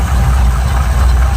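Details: Deep, even idle with a steady low burble and no misses, knocks or ticks; runs smoothly.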